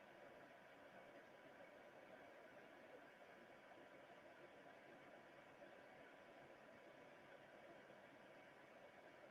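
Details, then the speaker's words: xTool F1 laser engraver (2 W infrared, 10 W blue, up to 3000 mm/s) engraving a hand-sized print in under about 65 seconds: quiet steady fan hiss with faint high tone, no knocks or rattles; normal operation. "so let's time it how fast this is to engrave something as big as this print right here as you can see super fast"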